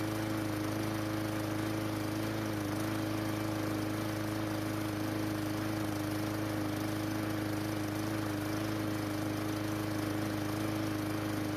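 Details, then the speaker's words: Murray lawn mower after carburetor replacement, clogging carb had made it stall; dirty air filter and old spark plug still fitted: steady even small-engine drone at constant speed, no surging or dying; normal running, repair worked. "well it starts and runs but the dirty air filter and the old spark plug might be causing it to run just a little bit off the good news is that it did not shut off on me when I was using it later on so our repair worked"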